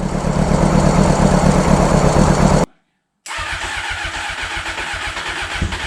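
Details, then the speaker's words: 1995 Honda CBR600F inline four, started after sitting a very long time, with WD40 added and the fuel gravity-fed while the pump isn't pumping: it catches and settles into a steady, even idle with a quick blip; it's warming up and sounds healthy. "oh the motor sounds good just let it warm up a little bit before we go giving it the berries if you know what I mean"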